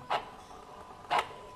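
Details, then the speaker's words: Electronic throttle body tested in place via diagnostic tool command: two short whirring buzzes about a second apart as the throttle plate sweeps cleanly; the whistling is normal throttle body operation. "je sais pas si vous l'entendez vous allez entendre ce sifflement là c'est normal"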